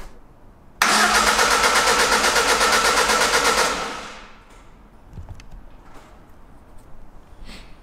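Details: Lada Granta Sport freshly assembled engine, first start attempt: starter cranks with a steady even beat for about three seconds but never fires; crank sensor left loose.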